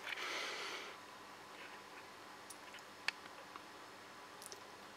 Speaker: Ça fait des espèces d'éclats de comme des étincelles. Puis pu le tube il fait il fait du bruit. Il fait enfin le balas fait un bruit bizarre à chaque fois.